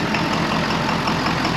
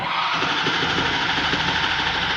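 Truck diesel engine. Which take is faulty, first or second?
first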